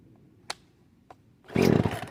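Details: Poulan Pro chainsaw after new carburetor, fuel lines, fuel filter and air filter, first start in years on half choke: a couple of pull clicks, then the two-stroke catches and roars up cleanly; runs normally.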